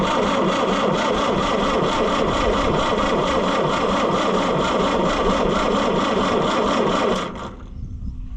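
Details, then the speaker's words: Oliver 550 diesel tractor, injection lines loosened: steady cranking about four turns a second for seven seconds, never fires; number one line off shows no fuel, injection pump gummed and stuck, needs rebuild. "I pulled the number one injection line all the way off and I'll crank it and no fuel comes out. Like none. So, this one is just like that other one, but worse. It is gummed up and stuck and it's not going to do thing."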